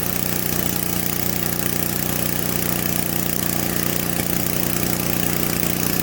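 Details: Simplicity 560 snowblower small single-cylinder engine, primed and gas added during a tune-up, in cold weather: even, rapid putter at steady speed with no misses or knocks; runs cleanly, only a slight hiccup at idle noted.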